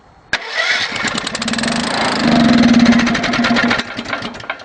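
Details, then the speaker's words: Wood-gas generator with a new engine, after completing the starter motor install. The starter engages sharply and spins the engine with quick, even chuffs, about 200 a minute, with no grinding. Normal starter cranking. "okay that bit works too the the part that makes all the noise goes so that's one fairly sizable hurdle dealt with"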